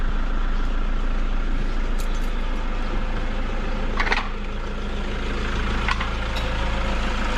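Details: Toyota Vigo pickup diesel idling with an uneven rattling pulse at the engine front; failed alternator overrunning clutch pulley that slips and spins freely, stopping charging and lighting the warning lamp; fixed by replacing the pulley.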